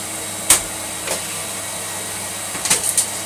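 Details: Electrolux Lite Deluxe Z1810 cylinder vacuum after refurbishment, motor top bearing regreased and fan-case bearing oiled: steady high-pitched motor rush with a few hose and nozzle bumps, running smoothly and evenly.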